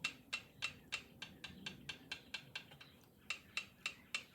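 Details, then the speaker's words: 1972 Triumph TR6 650 five-speed, which runs poorly with the left cylinder hotter. Engine stopped and locked at top dead centre, rockers rocked by hand give light, crisp, even ticks about three a second; valve clearance sounds correct, before feeler-gauge checking. "Hear that? That sounds like 2 and 4. I mean, straight up, that sounds really good."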